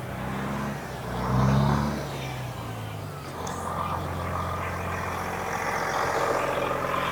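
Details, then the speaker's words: 1999 Volvo with Detroit diesel engine, sitting since 2016, running after being started: deep, even diesel drone holding steady under some outside noise, with no knocks or misses; normal diesel running. "man that thing runs sweet don't it"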